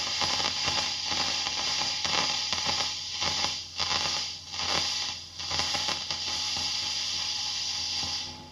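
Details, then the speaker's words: Fender ProSonic valve amp on the bench after a full recap, miked at the bench cab with volume full up. Irregular rustling crackle and dropouts over the hiss as the normal channel's volume and treble pots turn: dirty pots. "Okay. So, we do have some rustling and some noises coming from both the volume and the treble control on the normal channel."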